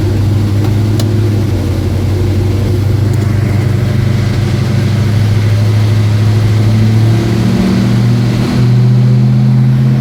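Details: 1972 Mustang Mach 1, rebuilt 351 Cleveland Cobra Jet V8 (roller rockers, forged pistons, 10.5:1, Holley 650 carb, Flowmaster duals) after rebuild; deep lumpy rumble with crisp throttle blips rising and falling cleanly, steady firing, no knocks; normal revving.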